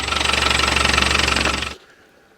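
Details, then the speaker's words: Land Rover Defender 110 diesel warm idle in neutral; rapid even metallic rattle that stops the instant the engine is switched off; suspected noisy clutch, to be removed and replaced with new. "Oh, that's so much nicer when you turn that off. But that clutch is noisy."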